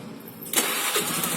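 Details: Motorbike after a wiring fix connecting straight to negative without the relay: half a second of quiet, then the engine catches at once and settles into a steady, even run; clean, normal start.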